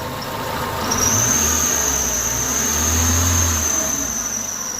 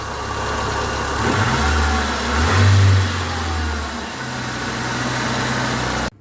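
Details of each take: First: Idling engine with a steady, loud high-pitched squeal that appeared after rainy weather; belt tension checked fine, so the belt was ruled out, and the cause is a worn A/C compressor pulley bearing. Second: Petrol engine idling and revving after lubricating the suspect accessory pulley bearing and refitting the belt: smooth, the squeal that appeared after rainy weather is gone.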